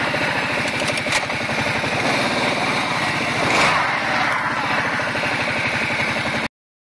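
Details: Kawasaki Prairie 700 ATV: rough, gritty grinding from the CVT clutch over the exhaust beat, only when slowing down, not in reverse, swelling briefly on deceleration.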